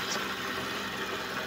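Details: Suzuki Vitara at idle after power steering fluid change and reservoir/strainer cleaning to cure foaming: steady, even hum with no whine or groaning from the pump. Normal power steering pump operation.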